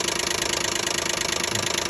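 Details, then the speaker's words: 2012 Nissan Maxima 3.5 L engine running strong at idle: fast, even ticking of about twenty per second; owner assumes the intake bracket and rules out the bottom of the engine. "and again I'm assuming it's just a intake R make noise"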